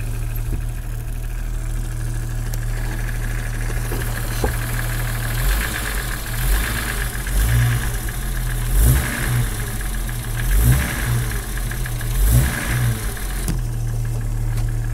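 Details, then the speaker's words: Cold start 1997 Jeep XJ petrol engine idling with a dull knock, blipped a few times so the knock briefly rises then fades; owner suspects piston slap, unconfirmed. "also forgot to mention, or at least show if I rev it, the noise pretty much goes away. Oh, I guess it does get a little bit worse."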